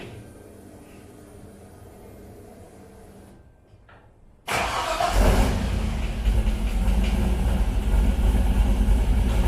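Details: LS-swapped El Camino (G-body) after pulling the transmission, with an oil leak traced to the oil pressure sending unit: starter catches and the V8 fires into a steady, even idle with no knocks or grinding; normal engine start.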